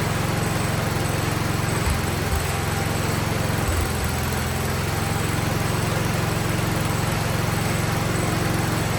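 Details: 47-year-old Wheel Horse tractor, single-cylinder, idling after slight carb tuning with choke fully off and no air filter yet, no smoke: smooth, steady putter with no misses or hunting; clean idle.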